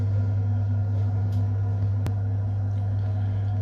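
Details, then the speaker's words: Biasi M90F 24S combi boiler with a no-hot-water complaint, running on central heating: steady low hum of the burner staying lit with no cutting out or surging, an even burn; heating side works normally. "So the heating appears to be working okay, the burner's staying on and it's not dropped out."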